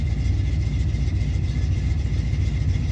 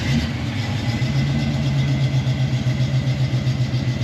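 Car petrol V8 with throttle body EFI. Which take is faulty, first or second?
first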